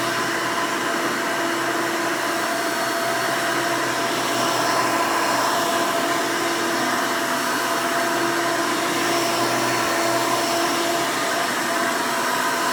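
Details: 1992 Hoover Elite II Total System Performance 650 U4689-910 upright vacuum, motor untouched since purchase: loud, steady roar with even fan whine, no rattles or speed dips; owner says it runs very nice and smooth, normal running.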